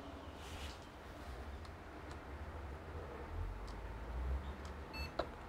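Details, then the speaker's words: Desktop PC that was beeping continuously, after reseating/testing the 8GB DDR3 RAM (most common cause): fans hum steadily, then one short high beep, then boots and recognizes 8GB. Single POST beep, normal boot. "and we have one beep so that's a good sign"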